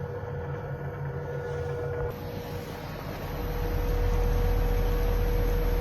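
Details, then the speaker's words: Feeling 850 sailboat with 6 kW POD 6 Evo electric pod motor (replacing diesel, 8.5 kWh lithium battery), out of the water at full throttle forward and reverse: very quiet, even hum with thin steady whine, nothing rough; healthy. "Marche arrière à fond. Marche avant à fond. Et ça ne fait pas un bruit."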